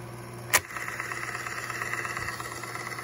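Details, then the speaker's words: 1969 Rheem Califone 8030T mono portable reel-to-reel in fast forward: a sharp click as the reel swings over to the other wheel against the main pulley, then a steady light motor hum and even whir as it spools smoothly. "reel swings over to the other wheel, which makes contact with the main pulley."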